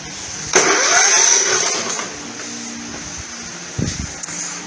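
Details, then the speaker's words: Non-starting engine, spark plug still fitted, spins far too freely on cranking: fast, light, even whirring with a hiss and no compression strokes; compression test confirms a broken connecting rod, engine toast. "and the final test yep that's not good we got broken connecting rod"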